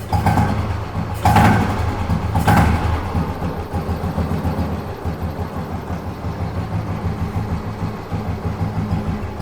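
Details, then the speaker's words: Fully restored 1971 Royal Enfield Bullet single with its original exhaust system. It fires up with a couple of throttle blips, then settles into a steady, even single-cylinder thump at idle, sounding healthy. "Engine ரொம்ப சூப்பராக set பண்ணியிருக்கோம். நீங்கள் பக்கத்தில் போனீங்கன்னா இன்ஜின்லேருந்து ஒரு பிட்டு noise கூட கேட்க முடியாது."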